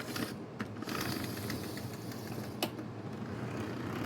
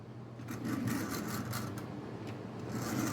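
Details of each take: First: Bachmann chassis model train locomotive from a traded lot, first test run: light motor whir with irregular sharp clicks, still runs with lights; owner suspects a broken gear, needs cleaning. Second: Tyco Canadian National model locomotive, first run after a push start, a little dirty: steady soft whirring with light rhythmic clicking as it rolls; sounds pretty good, should run well once cleaned.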